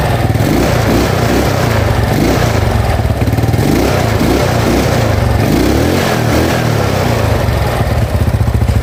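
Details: Yamaha Mio Sporty carburetor scooter after replacing the carb vacuum diaphragm set with its slide needle, original needle jet kept: small revs rise and drop back cleanly with no stumbling or popping, and idle is steady; normal throttle response.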